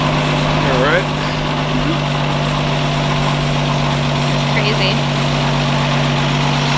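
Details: 1952 Ford F1 old six-cylinder (ignition removed, solenoid jumped, positive ground): steady low hum, even unbroken tone, no knocks or misses, idling smoothly with outdoor chirps behind; normal idle.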